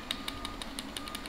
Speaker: you might be able to hear that there a little ticking so you have to grip it so that you actually squeeze the legs onto that center shaft so that you don't pick up any any of that rattling noise